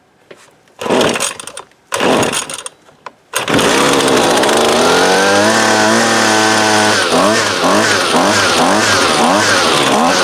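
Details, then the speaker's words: 2019 Husqvarna 128LD 28cc trimmer, warmed up with the line fully extended for load, that won't idle: during low-side (left screw) carb adjustment, a few pulls, then it runs with revs surging and sagging; still hesitates on acceleration. "turn it back to the right clockwise just a little so i gave it a little bit of hesitation so we'll back it off"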